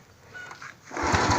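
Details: Honda Wave 110i that wouldn't start, after fuel pump replaced with a new one: faint brief pump whir, then the single cylinder catches and settles into an even, steady putter with no misses.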